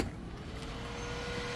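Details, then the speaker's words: Golf cart charger switched on to fully charge a newly installed Cloud Energy 150Ah lithium battery, with OBC bypassed: faint, steady mid-pitch whir as the cooling fan spins up and runs smoothly, charge light red; normal. "You'll hear the fan and the light comes on red, turn green when it's done, and you're all set."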